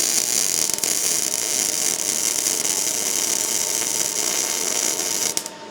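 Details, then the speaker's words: MIG welding exhaust pipe: popping, sputtering crackle leaving BB-like beads evens into a steadier frying hiss as voltage is turned up while welding; too far blows through. "I'm going to turn up this voltage as I weld with the other hand and that way I can see where I'm at you'll hear it as I go you hear it cleaning"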